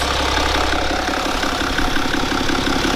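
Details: BMW N57 diesel first start after timing chain and main bearing replacement, running a few minutes, no leaks: steady even idle with smooth low rumble and soft regular clatter, no knocking or rattle; normal idle.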